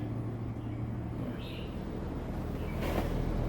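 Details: Daikin Inverter 12000 BTU R22 home air conditioner outdoor unit, not cooling and cutting out with code E7, reassembled after capacitor checks (37 µF OK), drawing 0.17 A: steady low compressor hum and soft fan rush; cooling fault unexplained.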